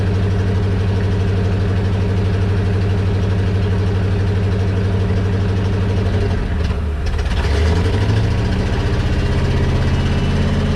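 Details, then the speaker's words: 1976 International wrecker, engine possibly 345 or 392, at idle: steady droning whine over even idle, pitch shifting midway; hydraulic pump turning but bed not moving, may not work. "I can hear the hydraulic pump whining, but it's just not wanting to do anything, so I'll look further into this, but it might not actually work."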